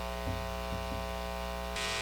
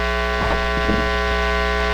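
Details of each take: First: Guitar amp with steady mains hum and buzzy edge, turning brighter and louder midway; normal noise from single-coil pickups, naturally noisier than humbuckers. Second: in the united states our electrical outlets cycle at 60 hertz and if you hear this tone you're probably experiencing 60 cycle hum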